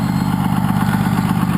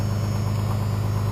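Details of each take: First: 1993 Dodge W350 with 6.2L Cummins, about 200 miles on the new motor, exhaust brake engaged: deep, steady diesel drone with a strong low rumble and firm pulsing beat, jet-engine-like; sounds good, brake working normally. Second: 1993 Dodge W350 with 6.2L Cummins, 210,000 miles, about 200 miles on the new motor: steady, fast diesel idle with an even low rumble that never settles lower; idling high at about 11.5 psi fuel pressure, fuel screw fully in, can't lower it.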